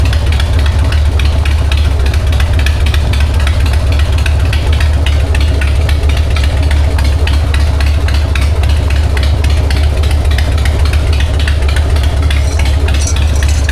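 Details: 1999 Harley-Davidson Sportster 1200, S&S Super E carb, in neutral after accelerator pump replacement: loud steady potato-beat V-twin idle, no sputter or stumble. Normal idle and revving.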